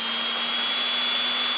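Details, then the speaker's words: Turnigy Multistar 2209 1200KV upgrade motors on a Blade 350 QX with carbon fiber props, taped down for a run-up. A steady high whir with airy rush from the cooling ports and no rasp; much quieter than the stock Blade motors; normal running. "the wind generated by the the cooling ports on the top these things are super quiet"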